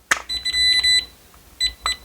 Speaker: But if it's off more than 4 degrees, it'll beep like that until you come within that 4-degree range, and then it stops beeping.